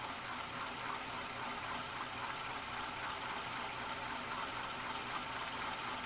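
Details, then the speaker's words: 1991 Canarm PF-36 ceiling fan on high, after cleaning out dirt and stove grease and adding a drop of 3-in-One oil: continuous gritty, rattling whir with uneven ticking; noisy motor bearings. "I think I used and then like one drop of 3 in one oil and that did the trick it's really noisy now though and I mean it when I say it's noisy here's High"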